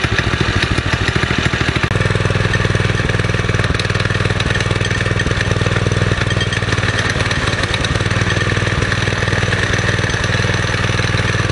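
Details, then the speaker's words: Springer bike small single-cylinder engine after the carburetor idle screw was turned out two and a half turns: now idles low, steady and loping, no longer racing fast enough to engage the torque converter. "two and a half turns out to get this thing to idle down listen to it now and i'll put a piece of clip in there with it idling before versus what it's doing hear now just move that is and it's not trying to take off"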